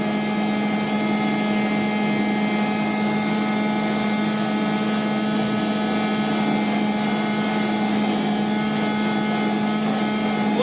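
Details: 1989 D4C vacuum: constant motor whine with a hard, steady, unchanging buzz riding on it; something plastic loose on the body buzzing.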